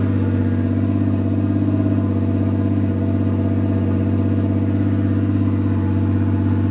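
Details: Nissan R32 Skyline GTS with swapped RB25, first start: steady, even idle with smooth low drone, no misses or knocks. Later misfired badly, owner suspects overheated coil packs. Normal idle.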